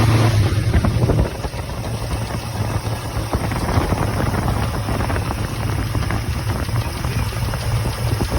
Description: Chevrolet 454 with bad lifter tick and misfire causing vibration.